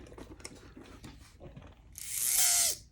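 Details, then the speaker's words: Athearn Band-Drive F7 model locomotive motor run in reverse: short high-pitched gritty whir under a second, something rubbing, no light going backwards; owner notices one side bent, cause unclear. "ooh made a we noise there doesn't light going [Music] backwards"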